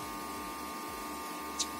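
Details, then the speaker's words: Desktop PC after reseating the RAM to fix BIOS beep codes: steady fan hum with a thin, even whine and no beeps; starts up normally and monitor shows display. "say hope no beep sound will get now okay now you can see the monitor is on and showing out there"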